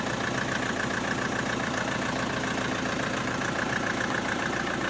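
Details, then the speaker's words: Opel Astra H 1.7 CDTI diesel, after the engine control unit was replaced and flashed, with DPF and EGR deleted; no errors. Even diesel clatter at steady idle with no hunting, misses or stumbles; revs no longer floating; normal idle. "Так, ну що, ластівку зібрали? Все працює. Навіть перестали плавать обороти."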